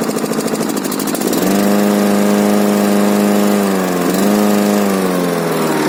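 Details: K800 diesel after repair starts after a second of cranking, then settles into a steady, even run with a smooth tone and only a slight dip midway; normal running.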